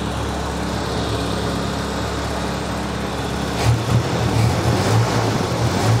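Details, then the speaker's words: Nissan 200SX turbo engine after a walnut was removed from the turbo, running in limp mode with the MAP sensor unplugged: a steady, even idle with a low hum and no turbo rattle or whistle. It sounds much quieter and normal. "it's not a ball bearing turbo but the fact that it does zero spinning after uh it's running it's running like it in safe mode in limp mode because I don't have the map hooked up"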